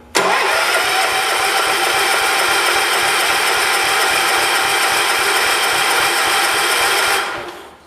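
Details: 1985 John Deere 212 that sat six months with diesel mixed into its gas, cranking steadily on choke for about seven seconds without firing; cranks but won't start; spark plug to be checked next.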